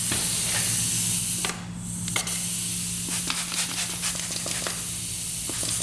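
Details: 1995 Honda CR250 engine pressurised for a leak-down test with soapy water: steady hiss of escaping air with small ticks and a brief dip; a bubbling leak is found at the gauge fitting.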